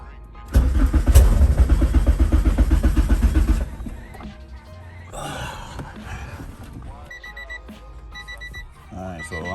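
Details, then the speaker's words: Honda K24-swapped DC2 that would not restart for nearly two weeks: the starter churns about four beats a second for three seconds and the engine barely catches, then stops and won't keep running. "Please don't let nothing else go wrong. Start it up, but it's not staying on."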